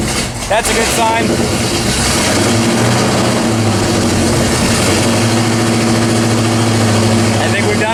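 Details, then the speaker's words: 1979 AMC AMX, AMC 304 V8, after header wrap: fires quickly, settles into steady even idle with no ticking, 70 psi oil pressure; header leak fixed, normal start and idle, no choke fitted. "i don't hear any more ticking that's a good sign 70 pounds oil pressure"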